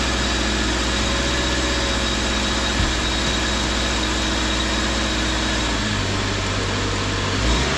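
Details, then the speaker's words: 2013 Subaru after hub bearing replacement, engine running on test: even, steady sound with no hum or growl from the wheel. The new hub bearing is quiet and the noise is gone. "there it is no more noise okay and that's pretty much it no more noise"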